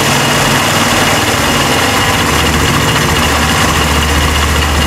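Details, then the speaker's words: Italika WS-150 single after replacing crankshaft and its bearings: steady even idle throughout, no knock or rattle; still blowing white smoke, cylinder kit to be replaced. Normal idle. "ya la moto ya no tiene ruido se arranca ya anda"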